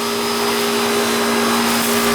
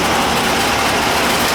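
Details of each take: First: AC outdoor condenser unit after replacing a bad capacitor: steady, even hum with a constant tone and the fan rushing behind it; compressor and fan now running normally. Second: AC outdoor condenser unit before repair, unit sitting hard against the house: outdoor fan runs but the compressor does not; only a steady airy fan rush with no compressor hum underneath, blamed on a bad capacitor.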